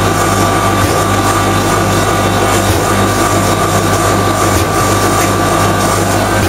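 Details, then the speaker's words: Common rail diesel injector on calibration test bench after turbo failure raised combustion temperatures, over 500 shots: steady rapid injector ticking over bench pump hum; injector delivering correctly. "turn your sound off while this is running it'll take a while cuz we're doing over 500 shots"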